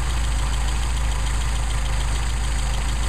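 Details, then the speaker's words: Mercedes 190SL with Solex carburetors, idle mixture screw on the first barrel being tuned: low, uneven idle that stumbles about twice a second when the screw is turned too far; further turning would stall it. "back it out trying to run rough run it back in where we had it do the same thing over here stumbled you can hear that stumble if i go any further it'll shut it down"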